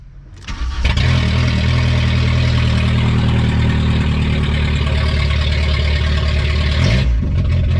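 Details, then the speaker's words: Junkyard VW Golf 3 (Pink Floyd edition), first start after sitting, exhaust open after the cat: brief crank, catches, loud raw booming idle with harsh bark, idles smooth but exhaust missing. "the last thing i ever expected was to start this car and have it just wow it's loud"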